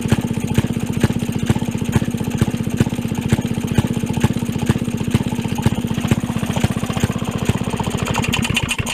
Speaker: but it's certainly working sounds good runs good starts easily